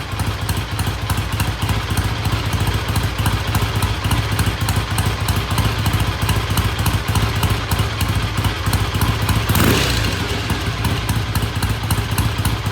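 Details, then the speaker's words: Vintage British motorcycle after repair: strong, even thumping idle with no misses, knocks or rattles; starts and idles well, test ride pending. "all right black sounds good starts good idle's good I'm going to call it good pending a um test ride which we may do tomorrow"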